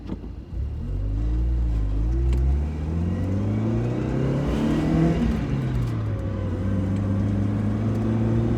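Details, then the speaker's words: Miata on the road under acceleration: the engine pulls up steadily, then stalls in pitch and wavers just below 4,000 rpm before picking back up around 4,500. The engine is also overheating, possibly from low coolant. Flat spot, cause unknown. "the power curve is way screwed up [Music] it's restricted just below 4 000 and then it picks back up at about 4 500."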